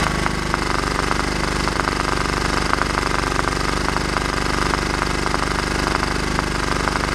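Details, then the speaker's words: Cheap Scotts riding mower single-cylinder engine after valve cover off, fresh oil and Marvel Mystery Oil: running chug with irregular sharp pops about two per second, backfiring through the carburetor; owner suspects a burnt or stuck valve. "but it's still backfiring through the carburetor maybe a burnt or a stuck valve or something like that"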